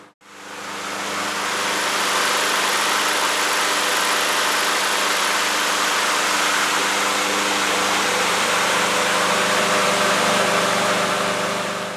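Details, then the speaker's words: Troy-Bilt TB360 with a Briggs & Stratton Quantum engine after cleaning the carburetor main jet, air cleaner off, automatic choke opening as it warms: steady, even buzz with no misses, slightly fast, so the throttle-spring tab was bent to slow it. "To my ear, the engine was running a little fast, and I slowed it down really just by bending this tab right here that connects to this throttle spring."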